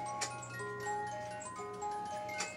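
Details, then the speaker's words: Old musical cuckoo clock, rusted gears, movement fully disassembled, cleaned and oiled: normal running after repair, clear plucked music-box tune over a steady tick about every second. "listen to that isn't that nice it is so nice having a good working and cuckoo"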